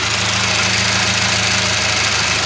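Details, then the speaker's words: Older carbureted car, checked after a small backfire through the carburetor from giving it gas, holds an even idle with a low hum and hiss and no popping, knocking or misfire: normal idle. "well there's nothing wrong there it's about the proper bees"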